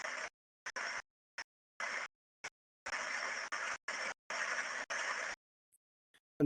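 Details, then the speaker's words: Critical bearing heard by structure-borne ultrasound while grease keeps being added after it was already adequately greased: choppy bursts of rough rushing hiss that grow longer as internal friction and stress rise; over-greased bearing. "and you can clearly hear that the bearing is now getting more and more under stress as as it's getting more and more grease uh added to it and the friction on the inside increases"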